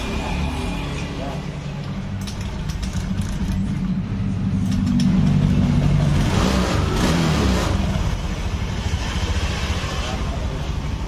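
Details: A 2017–2018 Honda Scoopy scooter, brought in for a rough, noisy engine, idles after repair with a soft, even putter and no ticking or chain rattle. Normal idle.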